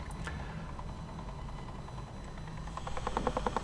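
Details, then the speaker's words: Sony WM-FX661 Walkman with a replaced belt, mechanism not yet serviced, playing a tape: soft rhythmic chug, about three beats a second, like a steam train, with tape speed wobbling in step; bad wow and flutter, likely a drive fault. "And of course the wow and flatter is awful. It is uh uh the speed is affected by the frequency of that uh of this bit. It's like a train like a steam train."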